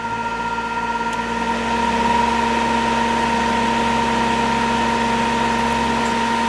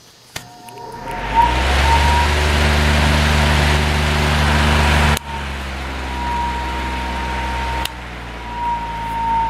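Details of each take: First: Cheap Whistler 100 W modified sine wave inverter (12 V in, 115 V 60 Hz out) running a fan on medium speed: harsh, steady fixed-pitch electrical buzz over the fan hum. The motor strains, unlike its quiet, smooth running on line power. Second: Fan with a 0.9 A PSC motor on line power, before testing on a modified sine wave inverter: steady low hum with faint even tone and no rattle or scrape; motor runs quiet and smooth.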